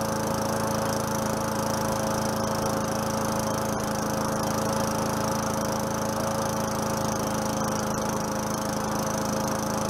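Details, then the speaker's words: 4.5 HP Tecumseh Craftsman push mower, first run after sitting about 3 years, carburetor leaking and a little smoky. Constant, even drone at steady speed, no surging or misfires; normal running. "I'll let it sit there for a minute and see she's a little smoky smoky she hadn't run in a while too so that's all right"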